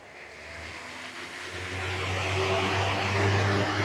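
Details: Wall fan after bearing replacement: spins up smoothly with steady rising hum and airflow, no grinding or rattle; previously noisy and jamming from worn bearings.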